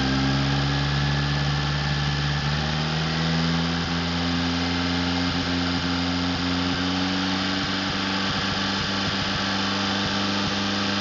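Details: Overhauled Atomic 4 inboard gasoline engine (new pistons, rings, valve springs, plugs, wires, higher-flow water pump) on test stand for a 17-foot wooden boat, alternator off, slight throttle, no choke: steady smooth even hum; normal idle.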